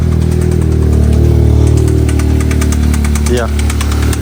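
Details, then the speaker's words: Stage 2 tuned VW Golf R Mk7 after sitting a long time, metal filings found in oil filter, suspected bottom-end damage possibly from low oil pressure: loud uneven idle with heavy rhythmic knock, a couple beats per second; engine knock, new engine needed. "definitely a bad knock knocking sign from the engine um it's just a the but yeah definitely a new engine job needed"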